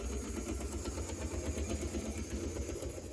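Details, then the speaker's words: Restored HO scale Tyco Midnight Special test-run forward on track: small motor whirs with a faint repeating clunk; owner unsure whether uneven traction tires or a cracked gear causes it. "And it appears to run. I do hear it clunking. I don't know if that's because the traction tires are uneven or if that's due to the cracked gear."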